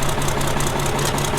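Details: Ford 5000 tractor with swapped Ford Brazilian 7.8 six-cylinder turbo diesel, first run, hydraulics checked and PTO engaged: quick, even diesel clatter at steady idle, no knocks or misses; normal idle.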